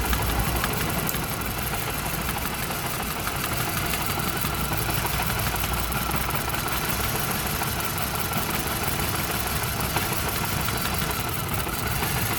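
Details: Volvo with Mazda/Ford Duratec engine, codes P0302, P0352 and P0400: uneven, lumpy idle with an irregular stumble under a steady engine drone, a cylinder dropping out. Rough idle misfire; cause not confirmed.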